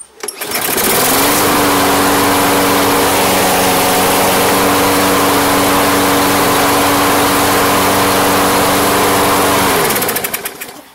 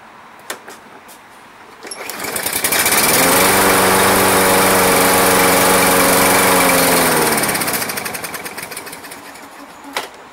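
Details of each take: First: Toro Personal Pace electric-start mower, sat all off-season with no start, after fresh fuel: starts, holds a steady even governed hum for several seconds, then winds down smoothly; no surging or sputter, running properly. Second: Toro Personal Pace electric-start lawn mower, sat months, near-dead battery, no start: on ether it catches, revs about five seconds, then dies; compression, spark, air confirmed, fuel starvation suspected from old gas left in.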